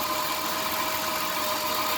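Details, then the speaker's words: 2003 Dodge Grand Caravan 3.3, 372,528 miles, after replacing the belt with a quiet-technology belt: steady idle with a faint constant whir, and the chirping and hissing on acceleration that rose toward 2000 rpm is gone; the belt was the problem. "this was the problem the belt i think you can hear the difference now it sounds much better so you can hear that the chirping and the hissing noise is gone"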